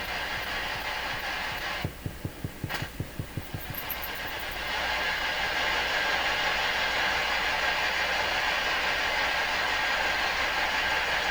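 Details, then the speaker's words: Old German Greatz tube radio after replacing molded capacitors: low putt-putt pulses about three a second over steady hiss, same on shortwave and FM; motorboating oscillation traced to a badly routed shielded lead. "still motorboating oh okay and if we switch to fm what happens to the motor boating"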